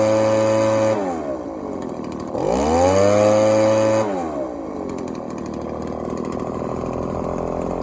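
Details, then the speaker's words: Echo ES-1000 two-stroke blower, previously over-oiled with the wrong mix and not starting, now repaired and carb tuned (low screw for max idle rpm, high screw for transition, slightly rich): clean, steady buzz with smooth rev-ups and crisp throttle response. "Basically what I did, guys, the low mixture screw closest to the engine, you turn that till you get the max RPM at idle, and then you turn your high speed so you get a nice transition and you get a decent RPM coming out of it."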